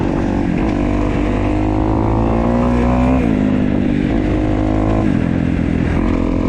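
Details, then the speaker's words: 2015 Kawasaki KX250F fuel-injected four-stroke single, running after an intake valve clearance job fixed its no-start. Quick throttle blips settle to a steady, even idle; sounds healthy. "right guys 2015 feel nice and light idle's down good sounds good too all the cow sound good"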